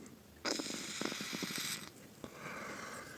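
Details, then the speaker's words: Vaporesso XROS Mini pod cartridge after a fix for leaking from the bottom: two hissing, rattly, gurgling wheezes about a second each on the draw; no longer leaks, but it may not have dried out or soaked in yet. "Well, it hasn't dried out completely or hasn't even soaked in yet. One of two things. That is, it doesn't flow, but it wheezes."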